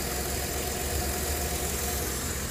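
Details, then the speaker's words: 2008 Jeep Grand Cherokee 4.7 L 4x4 that had a dead battery and smoke from the fuse box: a steady, even idle hum with no whine; battery at 13.32 V, alternator putting out 44 amps and reaching 142 amps on the load test. "oh there we go we got 44 amps coming okay we got 44 amps coming out of this thing"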